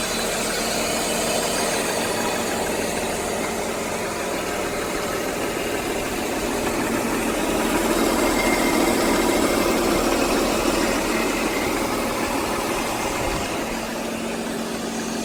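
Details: BMW E39 528i six-cylinder petrol idles smoothly with a soft steady hum and no ticking or knocking, after fixing a loose fuel injector (damaged top o-ring) and snugging the SAP check valve to seal a small exhaust leak.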